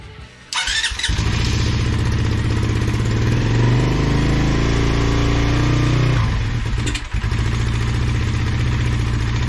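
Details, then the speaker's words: Race motorbike running an open filter (nippy cup) with no filter element: it catches, holds a ragged, uneven note, stumbles and recovers. Poor running, believed to come from the missing filter; a paper filter is to be fitted. "so I just tried running the nippy cup with no filter it doesn't seem to like it so I'm just gonna put on a paper cross"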